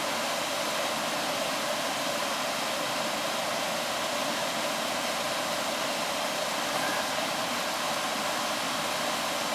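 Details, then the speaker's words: AC air handler that gave off a burnt smell, transformer found red hot and board wires backwards; after reassembly, fan only running with AC off: steady, even rush of air with no knocks, rattles or squeal; blower running smoothly. "i don't have the ac on i got just the fan running i just got the fan running seems to be working now"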